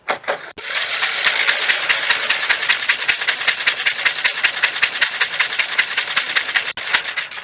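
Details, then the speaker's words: Old Snapper mower engine, sat for years, stiff, spark plug removed and penetrating oil sprayed in the plug hole, cranked by starter off a jumper vehicle: quick, even cranking with hiss from plug hole, spinning freer as it turns. Finding: stiff engine freeing up. "Sounding so much better the more it spins over."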